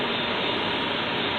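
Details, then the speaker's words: 2013 Jeep blower motor removed after 50k miles and 5 years for a hissing noise, with a clean cage, run on the bench drawing 15 A. A steady airy hiss or bird-like whistle sounds over a smooth whir; cause not found. "I'm going to run this one click here on my bench to see how it sounds like a bird whistles if it does that's what it is it pulls 15 amps"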